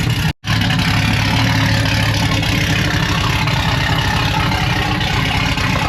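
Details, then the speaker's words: Chevrolet Silverado truck that had sat almost two years, idling while warming up, recorded with the rear microphone: a deep, loud, boomy exhaust rumble with no knocks. It may need a resonator. "it's a little too loud we might have to put a resonator on it quiet it down"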